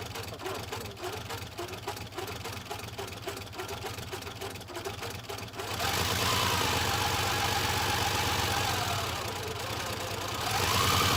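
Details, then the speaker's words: 1984 Buick Grand National cold start for the first time in 28 years, after cleaning the air filter, reconnecting the mass airflow sensor and replacing a blown injection/fuel pump fuse: runs unevenly, stumbling with a ragged, rough exhaust note. "it doesn't sound great but at least it runs 28"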